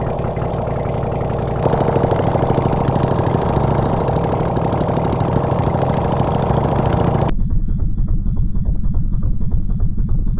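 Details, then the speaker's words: Honda CX500 engine on a bench with no exhaust, coolant or oil filter, getting warm: loud, open twin firing at a steady fast idle with even pulses and no knocks; runs pretty good. "But it runs actually. It runs pretty good. So, if you're looking for an engine that runs, I got one for you right here."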